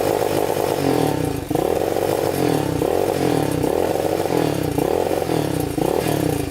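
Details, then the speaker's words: Yamaha Warrior 350 single-cylinder quad of unknown year surges and sags under throttle, bogging at full throttle and stumbling instead of climbing cleanly to full revs. "Kind of bogs. Doesn't sound the greatest. You can hear it bogging at full throttle, like it doesn't want to go full throttle."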